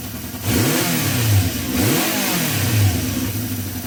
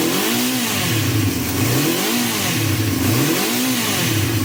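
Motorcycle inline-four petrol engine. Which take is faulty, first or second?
second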